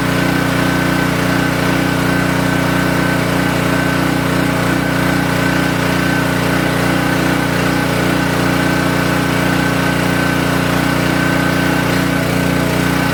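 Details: King Canada 3000 W (2,300 W running) generator after repair and new air filter setup, run before load test: steady, even drone at constant speed with no surging, misses or knocks; now running smoothly.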